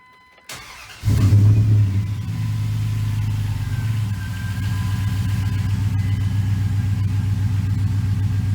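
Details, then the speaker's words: '01-'04 Dodge Dakota after power steering rack and pinion replacement, engine idling while the wheel is worked back and forth: a faint steady high pump whine from air in the system; ATF+4 fluid. "Keep working it back and forth. Again, might have to do it 20 times or so until you're whining or, it's all purged out."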